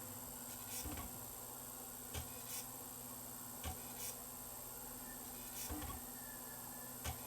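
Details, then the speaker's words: Sony BDP-S350 Blu-ray player that reads some DVDs and no CDs or Blu-rays: faint clicks every second or two over a quiet spin as the blue laser keeps hunting for focus; contamination of the blue laser lens or mirror suspected. "trying it's trying real hard maybe some contamination of that lens inside there that's the blue laser lens that the uh that shines the blue laser through it"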